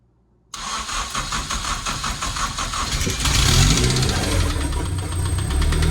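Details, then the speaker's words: Honda K24 engine started after plugs refitted: cranks, catches, rough idle with repetitive knock seemingly from behind the timing cover; VTC gear rattle from tune ruled out, cause not found. "Still doing it. So it's not a VTC issue. I don't know. It sounds like it's coming from right behind the timing cover."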